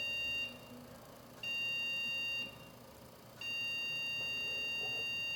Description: When the computer sends 2 short beeps and 1 long beep repeated 5 consecutive times, the cause most likely refers to a problem with the video card!